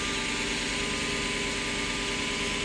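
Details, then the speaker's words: Lexus SC400 V8 after addressing cylinder 7 misfire, suspected oil-fouled plug: steady even idle hum with no stumbles, check engine light not back after a couple of minutes. "It's been about a couple minutes, but it's not on yet. Running smooth."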